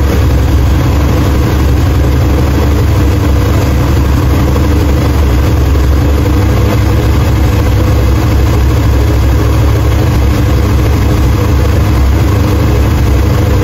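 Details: 1968 Chevrolet Impala 454 big-block V8 after head gasket replacement, holding an even idle without misses, knocks or ticks. Healthy, with 60 psi oil pressure and about 180 degrees on a new Griffin radiator with dual fans.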